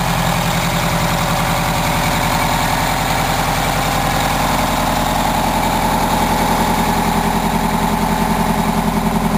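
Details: 1987 Wanderlodge PT40 rear-engine 8V92TA Detroit two-stroke diesel, after a cold start following about 5 months sitting, camera mic outside and overwhelmed: a deep, even idle beating about 2.5 times per second with no miss or knock; healthy.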